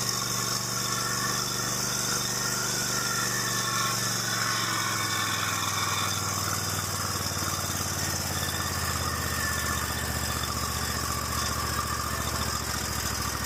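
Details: Stihl lawn mower after replacing the blown, loose intake manifold gaskets that caused rough running: small single-cylinder engine runs steady and even at fast idle with no misfire or surging; normal running after repair.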